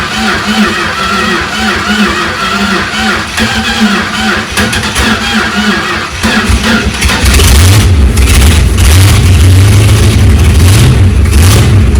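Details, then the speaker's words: Chrysler 360 LA V8 in a CH two-door hardtop, first start in a long time after oiling the cylinders: fires up and revs rough and uneven, lumpy beat under the roar, doesn't sound healthy; cause suspected, not confirmed. "it doesn't sound healthy because it's definitely not but here we go again"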